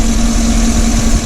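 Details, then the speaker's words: 2010 Chevrolet Tahoe Z71, 5.3 V8, idling with traction lights on and check engine light flashing; rough uneven idle, stumbling pulse and shaking as cylinder seven misfires, traced to a faulty spark plug arcing; plugs and wires replaced. "i'm definitely skipping and you got the proverbial [Music] lights on all the traction and check engine light blinking and and all that"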